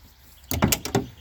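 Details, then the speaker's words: Classic Ford door after replacing worn hinge bushings with electrical tape wrapped about 18 times: short solid slam with firm latch clicks, no rattle afterwards; normal door closing. "then I tried shutting the door and uh shuts just like it should does not rattle opens up like it should shuts like it should no problems"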